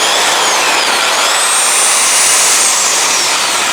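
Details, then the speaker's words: 1950s Craftsman belt sander, about 65 years old, run without a belt after regreasing the drive, lubricating the motor bearings and sanding the armature: a steady high whir with only a faint light rattle; it sounds healthy. "now I want to plug this in for you and just show you what it sounds like without a belt on it it still makes just a little bit of"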